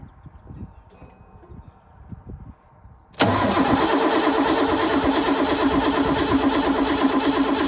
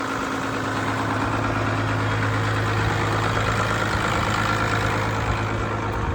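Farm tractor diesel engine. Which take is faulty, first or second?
first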